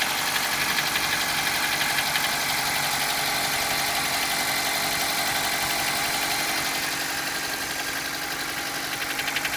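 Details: Mitsubishi Colt engine at idle with a quick, even tapping knock about four per second riding over the engine; knocking of unclear cause.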